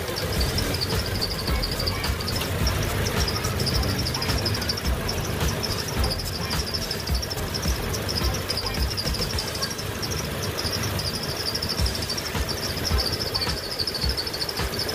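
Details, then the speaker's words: Running car engine with a high, thin chirp repeating roughly once a second over the low rumble; fan belt squeal that appeared after washing the engine bay, being treated by applying silicone oil to the belt grooves. "jika bunyi berdecit ini belum juga hilang setelah dilakukan pemberian silicon oil kita bisa memberikannya kembali pada bagian rel dalamnya pada bagian fan belt ini"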